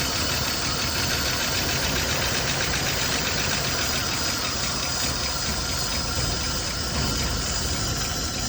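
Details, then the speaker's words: 1972 Chevy C10, likely needing new points: it runs rough and ragged with an uneven beat and hissy top end, only while fed brake-clean spray. This is the first run since about 1987; the owner suspects it isn't pulling fuel and plans to check the fuel line. "I mean, that's enough to know she's gonna be a runner. I don't know either if we're actually pulling any kind of old fuel or not. Need to pull that fuel line off and make sure."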